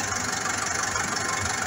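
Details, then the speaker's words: Massey Ferguson 440 Xtra tractor, Brazilian-built Perkins diesel about 82 hp, 12,000 hours, never opened, injectors recently serviced: steady idle with a hard, regular tapping knock, loss of power, unsteady running; knock source undiagnosed. "وكما تلاحظ الآن الموتور يخض، مش يدور عادي، في هذا الصوت طرح يظهر مع الشارع العادي."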